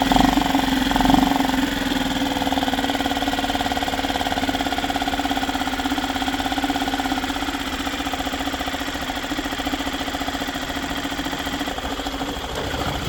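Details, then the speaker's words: Yamaha 2.5 hp four-stroke outboard after installing an aftermarket carburetor: started first pull, now idling in gear while idle speed is checked; brief rev settling into an even, steady idle with no misses. Normal idle. "Started right up first pull. Good aftermarket carburetor, pretty good. So we'll start it up, let it run, put it in gear, check that idle speed again."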